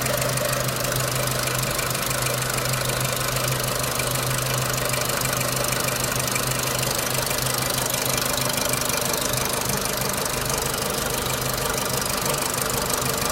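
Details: 2006 Renault Clio 3 1.4 16v petrol, 174,000 km, 5W40 oil, owner suspects oil too thin; fast light tick about three per second over steady idle with top-end clatter; engine ticking, cause unknown.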